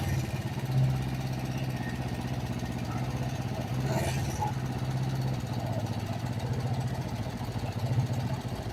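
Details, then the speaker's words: Kawasaki Vulcan 500 twin, warm, during carburetor synchronization: steady even low thump, no stumbles; carbs nearly balanced, healthy normal idle. "Venga pues vamos a arrancarla no está tan mal no está tan mal Mira"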